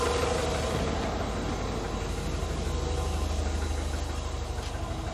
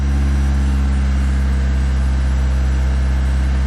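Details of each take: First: Classic carburettor car warm enough to need no choke, idling low and steady around 800 rpm, a touch shaky because it is not quite at optimum working temperature; expected to rise to 900 rpm once fully warm. Ready to drive. Normal warm idle. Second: Classic carburetted car, cold start on a warm day: full manual choke, foot off the gas, loud steady raised idle racing at about 2,000 rpm; fast idle from full choke.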